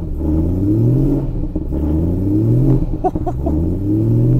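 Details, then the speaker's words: BMW E92 M3 manual V8 from auction, freezing cold just after start, gentle revs: blips rise and fall smoothly from idle with no stumble, shake or knock; no engine vibration, gearbox feels solid. "rev but there's no vibration it feels absolutely fine gearbox is nice feels solid"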